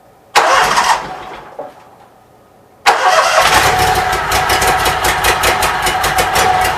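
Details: Briggs & Stratton Vanguard engine with rewired charging system, started cold on manual choke: short crank and stumble, then fires cleanly into a steady even idle, battery 12.53 V; normal start and idle.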